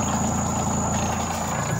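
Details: Camel spin dryer after repair (tub had been stuck as if braked, only humming without spinning; freed by pulling the plastic): steady, even motor hum with faint high whistle, no knocking or scraping; now spinning normally.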